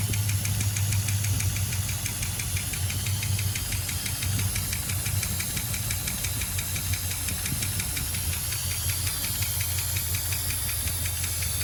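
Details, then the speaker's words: 1976 Dodge Dart 318 V8, mileage unknown, idling with valve cover off: fast sharp ticking clatter keeping time with engine speed, still clacking after attempted fix; owner suspects collapsed lifter, next option cam, lifters and valve springs or swapping in a 360. "we're in poopy and the engine is still clacking away so i don't think we made anything better"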